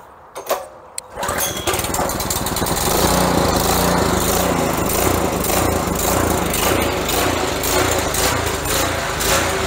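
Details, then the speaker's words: Honda-engine pressure washer after carburetor jet cleaning, started on full choke: it fires after a couple of pulls and settles into a strong, steady run with the choke fully off, no misses or surging. "so...(weird audio harmonic, it's running strong) Okay now we'll note that our choke is now completely off and she's running smooth"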